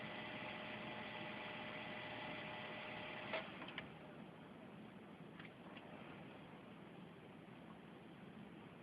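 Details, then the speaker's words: Core i7 desktop PC failing to boot: faint whirring hum with light clicks as the fan spins very slowly and never reaches speed; repeated power presses needed; cause not confirmed. "you see that the sun is spinning really really really really [ __ ] slow"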